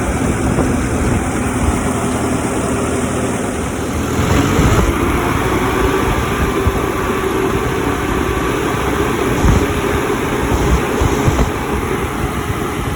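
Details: Cummins 3.3 QSB diesel with about 4,500 hours, after new bearings and pistons, monitored with Insight: even low idle with steady clatter and no knocking or misses; normal idle after rebuild.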